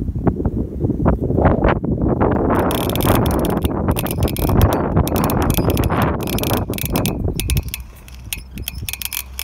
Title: Nano - strange noise when freewheeling